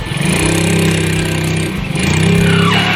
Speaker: Nah itu ada. Ini adalah bukan panbel yang selip, tapi di sini biasanya itu mengarah kepada slidingnya.